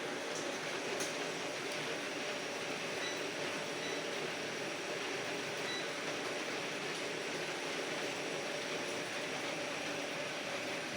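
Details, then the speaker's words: Bosch water heater that had not been lighting, after repair confirmed by 133 V DC measured at the control board: constant, even flame roar with a faint click or two, burner staying lit with no sputter. Normal burner running. "pues quiere decir aquí quedó solucionado el problema del calentador"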